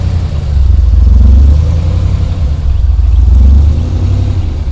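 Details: Ford Ranger rock crawler "The Mutt", first start after build with new Magnaflow exhaust and dump: deep steady rumble swelling smoothly twice with throttle, no knocks or misses; revs cleanly, runs and sounds good.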